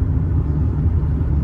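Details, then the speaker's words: 1999 Hyundai Lantra 1.6 with 4-speed gearbox, driving with A/C on at 36°C and windows closed: steady low engine drone over road rumble, no knocks, whine or grinding; engine and gearbox work normally. "вот как как ведет себя коробка как ведет себя двигатель все работает нормально"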